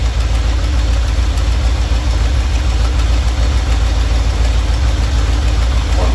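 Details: Normal warm idle from either the 1977 Ramcharger 440 or the 1968 D-100 318 being revived: a steady, even V8 rumble with no knocks or misses. It runs at about 800 rpm with timing about 3° ATDC, reaching 185°F operating temperature.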